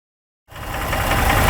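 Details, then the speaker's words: 2017 Ford F-150 3.5 V6 at idle: fast, uneven deep internal knock over the running engine, heard after the shop fitted new cam phasers and timing chain attempting to fix it; engine knock, cause not yet confirmed. "This F150 has a 3.5 V6 engine that has an engine noise. So the shop went ahead and they put new phasers and a chain on it in an attempt to fix this noise."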